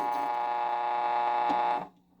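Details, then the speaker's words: 1978 Stern Nugent pinball machine first power-on: harsh, buzzy distorted tone with steady hum for under two seconds then cuts off; speaker suspected faulty, cause unclear. "that would be sound that was pretty horrible sound but it was sound maybe the speaker itself is a little bit screwy"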